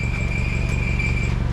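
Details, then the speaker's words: 2008 Honda CR-V at idle (stutters at idle and with A/C on); a fast, tinny buzzing rattle from underneath stops when a foot presses on the exhaust pipe, exact cause unknown; exhaust rattle. "I'll put my foot on the pipe and the noise goes away so I'm not sure why it's making that noise and if it's just a rattle"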